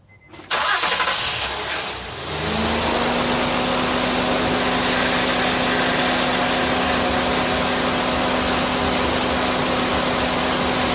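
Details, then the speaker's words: 2008 Honda Accord after replacing power steering O-rings for a cold-start groan: quick crank catches cleanly and settles into a steady, smooth idle with no groan or whine from the pump; normal start. "Shouldn't make any sound. It's not gonna sound any different than it did."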